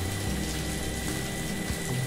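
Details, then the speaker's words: Water pump after seal replacement for leak causing poor suction: steady motor hum with strong even water flow, no knocking, seal area dry; pumping normally. "hasilnya mantap untuk pemasangan Seal Pompa airnya sudah selesai danilnya mantap sobat cburannya lumayan kencang"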